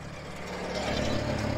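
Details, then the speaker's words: International 424 tractor at its first start after being brought home, idling with a steady, even low drone and no knocks or misses; the owner says it's a good running little machine. "it's a good running little machine but anyway it's good so i'm happy"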